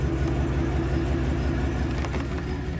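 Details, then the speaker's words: 2500 Silverado 8.1L Vortec V8 with Allison transmission, idling in gear: deep, uneven, lumpy beat as a cylinder drops out, very bad in reverse; low-rpm misfire under load, later repaired with coils, plugs and wires. "engine is definitely misfiring and in reverse it's very bad"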